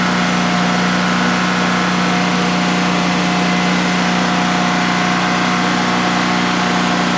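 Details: DuroMax XP15000HX generator set up in a shed, on its second start, running on propane with the exhaust fan off: a constant, even drone and steady, unwavering hum as it settles in over a 5-minute test run. Normal idle, no issues.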